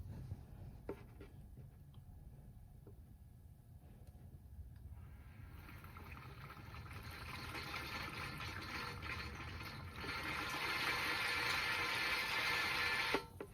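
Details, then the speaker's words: Ford Coyote V8 in a 1967 F-100 swap, oil primed through the oil pressure sensor fitting with a garden sprayer, about five quarts in: quiet flow turns to a louder hissing gurgle as the sprayer nears empty, the point to stop. "so as you can see y y'all heard that it does pressurizes and sends the oil through the engine"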